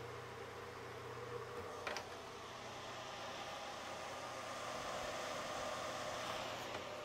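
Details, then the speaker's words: G-Tech GSpeed ES eSATA RAID array with an excessively loud cooling fan: a steady, airy whoosh over a constant hum with no change in speed, louder than it should be. "nue and off we go that's that making hell of a racket that disc"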